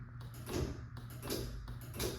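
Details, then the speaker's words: Chamberlain/LiftMaster B4613T garage door opener running on battery backup with mains power disconnected: low hum with three slow surges about every three quarters of a second as it strains to move the door, showing it has some power. "You can see and you can hear it's trying to move it. It's obviously got some amount of power."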